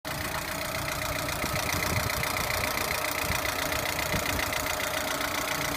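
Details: Lada Priora engine at idle: light, fairly regular ticking knock about three to four times a second over the engine hum; knock in the engine, cause undetermined.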